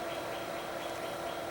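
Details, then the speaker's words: Power Mac G4 Mirror Drive Door, dual 1 GHz, 256 MB DDR, 80 GB HD, Radeon 9000 Pro: steady loud rushing whoosh with faint whine as the cooling fans kick up; exhaust air warm, not hot; loud cooling fans. "Yeah, this thing did definitely kick up the cooling fans."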